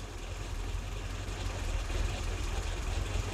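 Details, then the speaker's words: WW2 Willys jeep engine tuned with a Colortune plug, mixture deliberately leaned: low uneven idle with a stumbling irregular beat, engine labouring; very lean misfire with white intermittent flame, and knocking heard as it leans out. "Yeah, I can see the whiteness, but the engine's running really intermittently."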